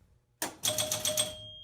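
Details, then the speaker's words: Gottlieb Sure Shot electromechanical pinball during repair: crisp relay clacks and a chime as 500-point targets score correctly; normal scoring operation. "the bonus unit if you heard it count up to 15 goes to 15 then kicks the ball out and just kind of some scoring here um if i hit these these are 500 points"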